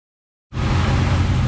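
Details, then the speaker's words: 1976 Kawasaki KZ650 inline-four motorcycle after adjusting and tightening the timing chain tensioner: steady low idle rumble, much less chain slap or slop than before; normal idle. "all right guys so we tighten the timing chain it sounds way better there's not as much slop going around"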